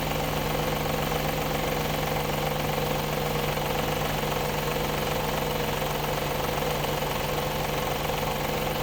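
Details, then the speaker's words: Audi A8 D2 with the ABZ 4.2 engine at idle, drive belt removed for diagnosis: a light, uneven tapping at two to three per second from the front. The whole front timing cover was loose with a bolt missing from earlier work; refitted with thread sealant. "Болтается. Вся передняя крышка. В общем, посадил я все на резьбовый герметик и посмотрел на видео."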